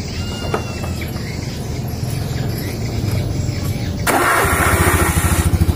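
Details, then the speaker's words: Honda Beat scooter with a crackling "krek" noise from the pulley/CVT area under throttle, worse with a passenger or load; started before service, the engine idles smooth with an even low putter and no knocks or roughness, so the engine itself is healthy: normal idle. "Nah, motornya bunyi halus Kang Bro, nggak ada suara kasar ya."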